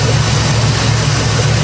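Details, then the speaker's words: Jeep Grand Cherokee with a freshly rebuilt 4.7 H.O. engine, first runs: low, uneven loping idle that stumbles now and then; misfire at idle, owner waiting to see if it cleans up before unplugging coils. "I'm going let the check engine light do its thing usually I start unplugging coal till I find the Mist but we'll give it a chance see if it cleans up"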